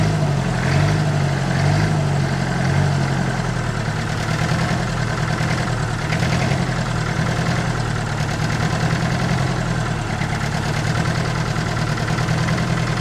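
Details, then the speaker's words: 1962 Lansing Bagnall Perkins diesel forklift on test drive idles then revs itself up unprompted, rising and wavering before settling; air getting into fuel supply suspected after moving the fuel can lower, not confirmed. "It should use some of that diesel. Oh, no, it's revving itself up again."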